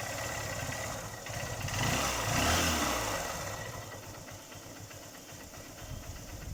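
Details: Small engine revving up and back to idle with a light regular tapping riding over it; knock in the motor, cause unknown; engine knocking noise.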